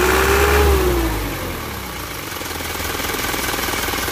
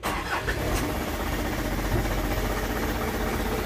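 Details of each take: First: Isuzu Elf Blue Sky diesel truck, tuned: rev drops back to even, steady idle rumble with no knock; normal diesel revving. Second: Isuzu Elf Blue Sky truck diesel, tuned by the previous owner: a brief crank, it catches at once and settles into a steady, low diesel rumble at idle with no clear knock or miss. Normal start.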